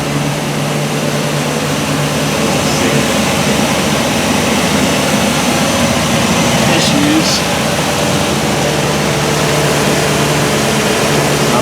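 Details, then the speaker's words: 2019 Chevy Express/GMC Savana van after engine serpentine drive belt replacement for belt/pulley squeal; restarted, steady even idle with smooth low hum, no chirp or squeal. Normal idle, new belt fixed the squeal. "all right so I have my wife get in she going to fire it up so it sounds pretty good looks like the belt might have fixed it I'm hoping"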